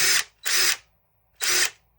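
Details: Old, worn brushed DeWalt DCF885 impact driver: three short even high-pitched whir bursts with clean starts and stops; runs smoothly and healthy.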